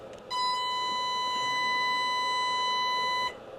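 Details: Experimental unbiased audio amplifier output stage: a steady, high, pure tone near 1 kHz with overtones for about three seconds. The amplifier suddenly began oscillating, cause unknown.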